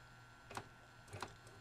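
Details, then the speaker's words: Magnavox MDR865H/F7 DVD/HDD recorder at power-on: two soft clunks about two-thirds of a second apart, the DVD drive looking for a disc, normal; no hard-drive head seeking heard, owner suspects bad drive. "The clunk clunk is the DVD drive looking for a disc."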